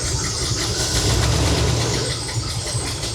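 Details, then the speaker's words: Chevy C20 with a rebuilt Holley 750 carb, new jets, choke fully off: a light, quick tick-tick-tick over a lumpy, angry-sounding idle; owner suspects some valves need adjustment. "I don't know if you can hear that little tick, tick, tick. So I'm gonna shut it off real quick. Well, before I do that, let's hear it. Still sounds pretty angry."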